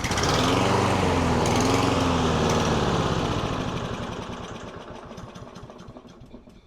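Small single-cylinder mower runs with a wavering, uneven beat, then sags and fades away as if starving; the engine is surging and hunting.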